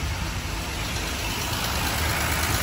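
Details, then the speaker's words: 1939 Dodge D11 sedan six-cylinder, revived after about 20 years unrun, warming with temp gauge rising; soft even low burble, runs like a little sewing machine, normal healthy idle with no knocks or misses. "a little sewing machine i'll put you on the stand once jordan's done making noise"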